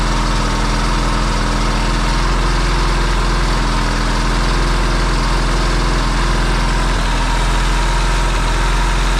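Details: Yamaha XS650 twin, engine just reinstalled in frame after work to cure oil burning, first start: low steady even idle settling smoothly, quiet with no pinging or knocking; smoking, owner hopes break-in. Normal idle.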